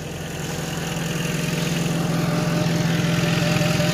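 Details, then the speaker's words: Honda just fitted with a new radiator, jump-started: smooth, steady four-cylinder idle with an even pulse, not idling rough, though the car has been smoking and is being watched for smoke; normal idle. "and it's not idling rough either just need to make sure it doesn't smoke anything"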